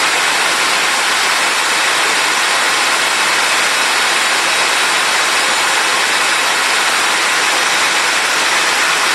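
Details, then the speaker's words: Compact TriStar C8 two-speed vacuum with Ametek motor, after commutator polishing, bearing replacement and greasing; smooth steady airy rush with no rumble, grinding or bearing squeal; normal motor running. "I know that's what I want to hear that is a wonderful smooth line down"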